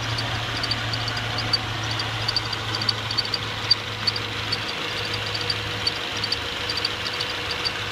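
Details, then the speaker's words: 2014 Subaru Outback at 11,433 miles: faint sharp high-pitched chirps roughly once a second, slightly uneven, over a quiet steady idle in the engine bay; source not pinned down. "attempting to record the chirping sound in my engine area."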